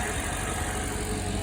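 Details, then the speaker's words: Engine idles with a steady, even low rumble and no hiss or whistle after the loosened manifold nuts were retightened about half a turn each. The earlier noise is gone: normal idle. "all right guys we just tightened down the manifold a little bit more definitely got rid of the sound that I was hearing"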